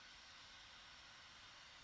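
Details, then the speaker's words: Dyson Supersonic HD01 hair dryer, previously dead with three flashing white lights, test-run after disassembly: even steady air rush with faint high motor whine, no rattles or cutting out, blowing hot air; motor and heating element work. "I mean you can probably hear it but that's yeah I mean it's working and it's blowing hot air so the heating element works too"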